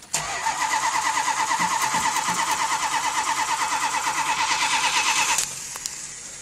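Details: 1978 Chrysler Cordoba hot summer start after battery replacement: steady starter whirring, about three cranks a second for over five seconds without a clear catch; prolonged hot cranking.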